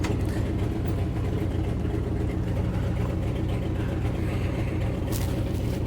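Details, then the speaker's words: Truck at idle after a cold start: steady, even low rumble with no pump whine or groan; power steering pump running remarkably quietly. "Not bad at all. Gosh, I cannot believe how quiet that power steering pump is."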